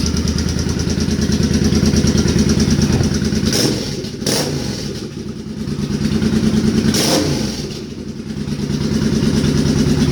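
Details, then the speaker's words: Suzuki Boulevard C50 V-twin, new fuel injector and Cobra FI2000 fuel controller installed, warming up: loping idle with two clean throttle blips rising and settling smoothly, valve tick audible, considered normal; normal revving. "i think it sounds awesome"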